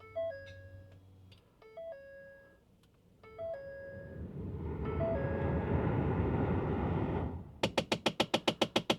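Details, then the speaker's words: 2011 Ford F-150 at key-on, rapid even clicking from the dash about eight a second as HVAC actuators run through their range, a failing actuator; the lower actuator and fresh air/recirculation door were replaced. "if you hear this loud clicking noise click click click cck click CLI click click click that means an actuator is going bad"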